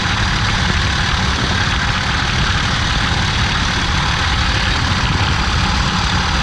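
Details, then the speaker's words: 2003 Ford F150 4.6L idling steadily with a constant hissing whir over the rumble, unchanged with load, from the worn belt tensioner pulley, with the belt partly coming off; pulley to be replaced. "You can see the tensioner pulley, belt's kind of coming off. That noise coming from that tensioner pulley. We're going to replace the tensioner pulley."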